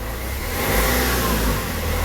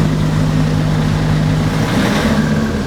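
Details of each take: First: Renault Trafic/Vivaro/Primastar F9Q 1.9 dCi running in sixth gear with right driveshaft removed and gearbox hole plugged: smooth, even drone rising and easing, no whine, grind or clunk; gearbox healthy, noise traced to driveshaft. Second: Renault Trafic/Vivaro/Primastar F9Q 1.9 dCi on lift, engine running in sixth gear: steady hum with wavering rising-falling tone under the engine; front right driveshaft bearing suspected, not gearbox.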